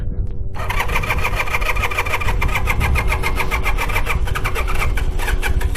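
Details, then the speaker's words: 1982 Honda CM450 twin, unridden for about 10 years and recently brought back to running, started cold on choke; brief crank, then a soft, steady idle with no misses; healthy. "choker purr's like a kitten can barely hear it"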